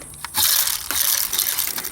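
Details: American Hunter feeder fitted with a BA Products timer: a short burst of gritty crunching and ratcheting clatter with no steady motor whir. Corn kernels caught under the spin plate jam it, and the timer reports a jam.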